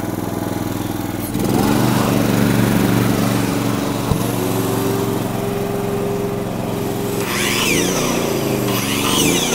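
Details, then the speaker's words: Honda EG2800i/EB2800i inverter generator (2800 starting, 2500 running watts), started on choke, with a shop vac and circular saw plugged in: switched to eco mode, it drops to a lower, softer, even hum with no misses. "So now I'm going to switch it into eco mode. So you can hear the difference."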